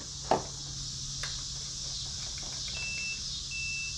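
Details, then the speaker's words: 10–12-year-old Aquacraft Mini Gator Tours electric RC airboat with an old Venom 1600 battery: two faint high-pitched ESC beeps then silence, no power; owner suspects the battery is fully dead; some corrosion present. "yeah it's beeping again oh it stopped beeping okay so the battery might be fully dead so let's charge this thing up"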